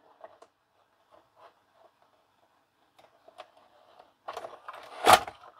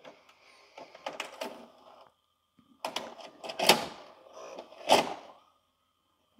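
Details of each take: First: LG FC930W VHS VCR after repair of cassette-won't-load fault, reassembled and powered up; soft clicks, short motor whir and a clunk as the tape pulls in, switch mechanism working, displays play: normal cassette loading. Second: LG FC930W VHS VCR after reassembly: on eject, hard plastic clunks at uneven intervals and a short whir as the cassette rams the closed door. A small plastic door-opening lever was misplaced during reassembly, so the door never opened.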